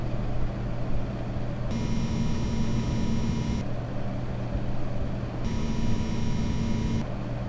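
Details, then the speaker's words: EVGA RTX 2080 Ti XC Hybrid liquid-cooled graphics card at idle: a steady low fridge-like hum with a thin buzzing whine that comes and goes, from the cooler pump. "Ah ... it was pump noise ... ah ... It was the pump noise ... This was pump noise ..."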